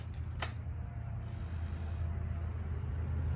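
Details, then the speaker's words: Honda Rancher 420 ATV that quit while driving and sat a week: at key-on a faint steady low hum for a couple of seconds as the fuel pump primes normally, but the engine then fails to start. "let's see if it'll start up you hear the fuel pump and you hear it"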